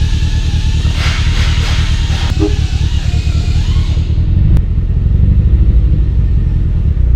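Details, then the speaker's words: Nissan 240SX with a built SR20DET at first start-up, oil pressure decent: loud deep idle surging and sagging instead of holding steady; bouncy rough idle, owner suspects the idle air adjustment needs setting. "the idols a little bouncy probably need to adjust the idle air temperature adjustment"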